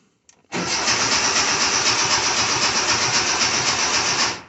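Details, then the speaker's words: 1982 air-cooled VW Vanagon Westfalia: the starter churns about four times a second and the engine never fires, showing little life. Crank-no-start from a fuel delivery fault; a relay was changed and the fuel pump relay is being sought. "And then I did get it to kick over a couple of times, like it's. See what I'll show you here. There is life in it, albeit not much life."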